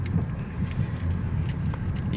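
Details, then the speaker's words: Honda Fit on a potholed São Paulo street after front suspension repair (control arm bushings, shocks, links, bump stops, ball joint): low road rumble with light rattles, no suspension knocks. "teve uma hora que bem esburacada mesmo é quase não tem são paulo rua esburacada mas ficou bem silencioso mesmo bem justinho aqui a direção bem gostoso carro macio"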